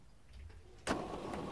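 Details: Electric roller shutter motor after replacing its failed capacitor (read 0.4 µF instead of 4 µF), which had caused strange noise and no rising: sharp start then smooth steady hum, no grinding or buzzing; normal running.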